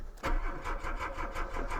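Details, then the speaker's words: Mk2 VW Golf with Weber carburettor and mechanical fuel pump, first start after months sitting through an Irish winter, booster pack on; steady cranking at about five or six turns a second without firing, owner suspects dry float bowl slowly refilling. "Really did not want to go. I think what it is that this has a mechanical fuel pump, and the Weber carburetor, the float bowl just dries out in it and takes a while to fill again."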